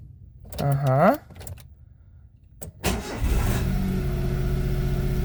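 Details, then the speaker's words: Daewoo Matiz three-cylinder at 222,600 km after engine repair: short crank, catches at once, settles into a steady even idle with no misses or knocks; clean start before warm-up to operating temperature. "все автомобіль запустився"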